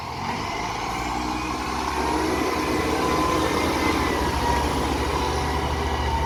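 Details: Diesel garbage truck 3502: rough, chuffing low pulse with a raspy edge, typical of an exhaust leak.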